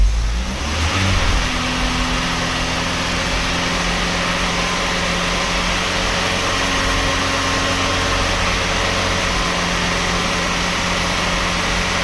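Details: 1991 Cavalier GL, rebuilt 18SEH engine (original 1.8 block with 2.0 8-valve head and cam) replacing rattling 2.0, first start after fitting: catches after brief cranking, steady even idle with no knocking or rattle; healthy.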